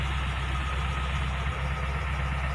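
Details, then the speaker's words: Engine idling after a clutch repair for a hard, juddering clutch, with the clutch pedal pressed. Steady, even idle with no chirp, squeal or grind; the clutch is now quiet and smooth. "tidak berbunyi ketika di injak kopling"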